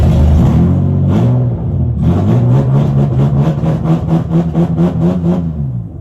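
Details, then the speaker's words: BMW E36 project car with new radiator, fan, gas tank and temporary exhaust, first start after priming empty fuel lines: engine stumbles briefly, catches and settles into a steady, even idle with no knocks or misfires; sounds healthy. "Motor sounds fucking fine. Yeah. Motor's chilling."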